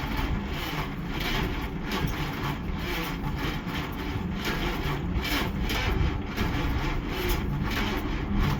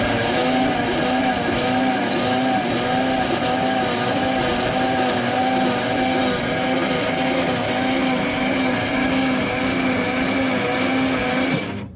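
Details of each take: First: 1955 Dodge Super Red Ram Hemi V8, 70 years old, first start attempt after dark: rough uneven chuffing, then it fires for just a second with a strong smell and falters. The choke may have come off. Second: 1955 Dodge Super Red Ram Hemi V8, 70 years old: the starter spins it evenly, about four compression pulses a second, without the earlier odd noise, and spark is present.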